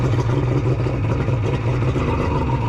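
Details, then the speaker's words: Kawasaki 1100 triple two-stroke jet ski with custom cylinder head domes: rough lumpy uneven drone with loose clatter, running on only two cylinders, rear cylinder cold; dead cylinder, probably from blocked carburetor. "sounds like it's only running on two that's not ideal let's see do we have something obvious Happening Here it might just be applied but yeah it's definitely just run on too"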